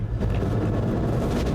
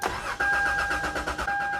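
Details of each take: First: Camper vehicle started for the first time after sitting about two years on old gas: a loud, deep continuous engine roar that never drops even after five minutes of running; the idle is far too high. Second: Budget camper vehicle sat about two years on old gas, with a questionable battery: starter cranks in quick even pulses, starts first try and settles into an alarmingly high, steady idle that does not drop; normal start.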